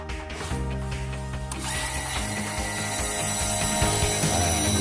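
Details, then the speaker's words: PS130 water pump after replacing one worn, loose bearing that had caused very loud noise: after a few handling knocks, a steady, even hum with no grinding or rumble; the noise is gone, normal pump running. "bisingnya udah nggak ada kan guys?"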